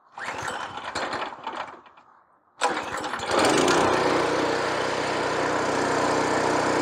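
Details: Rototiller started with fuel on and choke on full. A few cord pulls, then the engine catches and settles into an even, steady run; sounds healthy.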